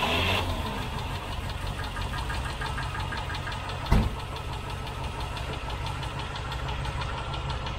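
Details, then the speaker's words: Rover V8 idling after half a mile from a cold start with good oil pressure: quick, steady light tapping from one faulty hydraulic tappet, rising in frequency with revs; definitely not an exhaust leak. "can hear just one tapping it's around here somewhere just one tap it has gone and as you've read the noise increases in frequency it's definitely not exhaust"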